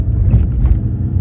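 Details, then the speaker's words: Audi on a road drive after front suspension clunk repair, drop links suspected as the cause; low, even road rumble at steady speed with no knocks or clunks from the front end; quiet front suspension. "And so I'm going to take it for a quick spin and we'll have a see. First impressions are good. Smooth."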